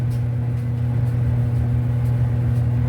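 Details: Whirlpool Cabrio dryer after replacing the squealing W10547292 idler pulley; steady low hum with an even drum rumble and no squeal or chirp; the dryer runs smoothly.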